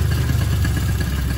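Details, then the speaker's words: Sanex 50cc two-stroke motorcycle after engine teardown with new crankshaft bearings and crank seals, used piston: low, steady, smooth putter at idle with no knock or rattle; healthy idle. "Mesinnya sudah halus, seharusnya hampir tidak terdengar."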